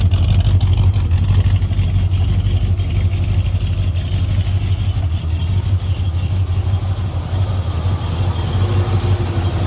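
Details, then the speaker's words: Dad's big-block Ford F150 "Old Red", second day of diagnosis: loud deep engine with uneven ragged pulse near three per second instead of smooth idle, running rough; owner suspects a gummed-up sluggish lifter, planning oil change with additive. "Sounds like she might be in the car. She's not happy with it at all. Not happy."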